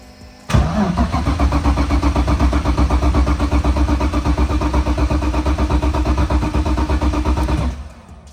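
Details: BMW E46 drift car, crashed and unstarted for a long time, fuel level unknown: strong even cranking about four beats a second for seven seconds but never catches; cranks, no start. Cause suspected, not confirmed.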